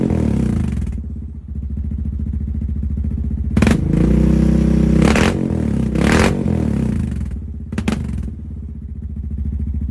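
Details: 2022 Honda Rubicon with full HMF performance exhaust, first start after about a week in an unheated garage, still cold; deep, even exhaust burble at idle rising cleanly through several throttle blips, no misses or rattles. Normal idle and revving.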